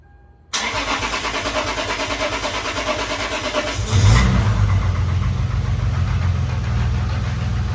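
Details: Lexus IS300 after a valve cover gasket replacement with spark plugs removed and reinstalled: it cranks briefly, catches cleanly and settles to a steady idle with no knocks or misses, smoking a little on startup from oil in the cylinders; healthy.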